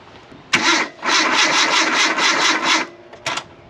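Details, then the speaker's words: 2008 Kia Rio after sitting unused three years, new starter fitted, battery charged about 10 minutes: brisk even cranking whirr for about two seconds then a short second burst, engine not catching; normal starter cranking. "But hey, it's cranking. Got that going for us, which is nice."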